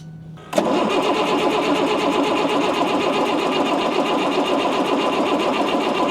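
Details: Ford F650 service truck diesel being revived after being sold as inoperable: the starter cranks with a steady rapid chug, about four beats a second, and it comes close but never catches; suspected fuel and primer trouble, and a thin jumper cable.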